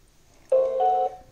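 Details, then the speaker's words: Xiaomi Xiaowa robot vacuum, new out of box, on charging base: short half-second startup chime that cuts off abruptly and keeps looping; it won't power up or charge, suspected defective unit. "gostei na base e fica somente nesse som e não faz mais nada como vocês podem ver ficou só repetindo essa mensagem de entrada em cortando repetindo cortando e não pegando caga né"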